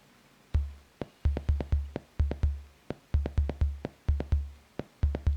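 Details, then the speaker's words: Soundmaster SD-3 Disco Beat drum machine during repair: only deep kick and snare thuds, no hiss or hi-hat at all, because the noise voice trigger is grounded; earlier ringing came from a bad power supply or filtering. "there is no high hat whatsoever the only thing you hear is the thuds from the kick and the snare"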